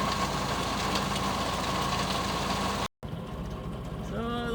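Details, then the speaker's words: Geo Metro boneyard car warming up after a 20°F February cold start, sat 4-6 months: small engine idling steadily with an even, unremarkable beat; nothing abnormal. "Metros are running, and we're going to work on the next car back."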